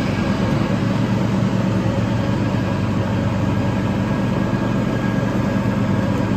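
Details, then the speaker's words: Toro TimeCutter 5000 zero-turn mower after maintenance with the deck refitted, leaf test run: steady, even low engine drone with blade whoosh, no knocks or surging over several seconds; healthy under load. "only the blades get going off just the way it's suppos to now we got some leaves back here so see uh See if we can uh rake some leaves with this thing totally a thing I promise you"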